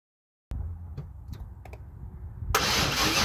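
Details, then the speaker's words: One of two non-running 1996 Chevrolet Camaro Z28s: the starter cranks steadily at about three to four turns a second but the engine never fires. The owner reads this as no ignition; the cause is unknown and needs troubleshooting. "Okay, so that's telling me we have no ignition. And I will need to look into that. I don't know why that would be."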